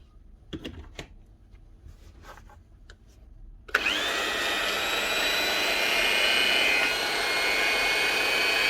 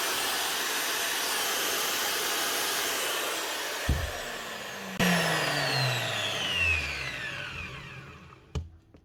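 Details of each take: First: Hitachi G23SS 240 V angle grinder run on 110 V site power: after the switch clicks, a steady, fairly low-pitched motor whine that never climbs to full speed, running at about half speed from low supply voltage. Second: Hitachi G23SS grinder on 240 V after rewiring a plug that had run it at half speed, steady high whir at full speed and full power with no rattle, then clean wind-down; normal running at full speed.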